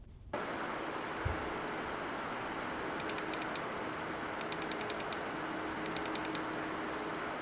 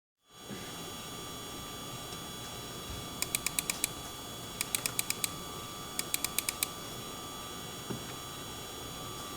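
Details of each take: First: MSI RTX 4090 Suprim graphics card under typical load in a Ryzen 5800X3D system: steady, even airy fan whoosh with a faint low hum, normal noise; this card is also noted for coil whine. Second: MSI RTX 4090 Suprim graphics card under typical load: steady high-pitched coil whine with buzzy overtones and bursts of chirping clicks, despite claimed high-efficiency carbonyl inductors; fans may stop below a set temperature.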